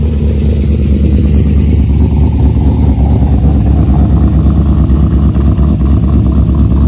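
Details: Corvette LS after Cam Motion Titan 5 cam swap (232/238, 113 LSA) with 660-lift springs, first start: deep choppy V8 idle, uneven loping beat about two lumps a second, steady; big-cam lopey idle, running fine.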